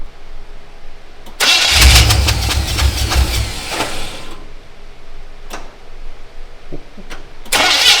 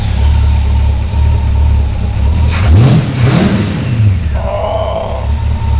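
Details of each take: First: Old-school V8 in a Canadian GMC 9434 1-ton truck, first start after a six-year build: uneven, lumpy, stumbling running with rattle under blips, running on seven cylinders because one spark plug was left in; dead cylinder misfire. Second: Canadian GMC 9434 1-ton truck V8 after restoration, running on all eight cylinders once a left-in spark plug problem was fixed: deep burble revving cleanly twice and settling to an even idle; normal running.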